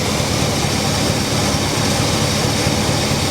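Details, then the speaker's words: 1968 Pontiac Tempest Custom Convertible V8 after carburetor swap: steady, even deep idle rumble with no misses, pops or knocks; it spat once on startup and blew out the carburetor gasket. "This carburetor sounds a little bit better. I'm not sure why it spit like that, and it blew my gasket. I don't know where my gasket went, but she sounds good."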